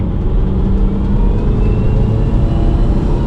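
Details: Remapped car with smoke, under hard acceleration: heavy engine roar with a thin rising whistle over it; turbo suspected failing, replacement turbo and manifold on the way.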